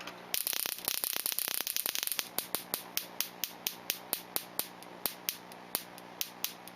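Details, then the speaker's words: Ignition coil from a Solex, on a Solénotest bench tester; that Solex crawls at 25 km/h with a weak spark: sharp spark snaps, fast then slowing to about ninety a minute, with an irregular train and skipped sparks at lower rate; the coil is bad. "Voilà, il me manque quelques étincelles lorsque je réduis le rythme, mais ça s'entend très très bien au régime. Voilà. Cette bobine, mon cher Pascal, je confirme, elle n'est pas bonne."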